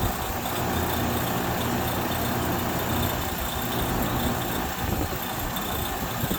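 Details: Goodman 5-ton heat pump running: steady hum with a busy, gritty rattle and scattered clicks; owner suspects the compressor, not the fan; no debris or loose screws/nuts found; cause not confirmed.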